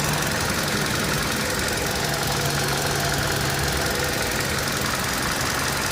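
A fast, uneven ticking sits over a busy idle, roughly two or three ticks a second; something is tapping in the top end, cause unclear.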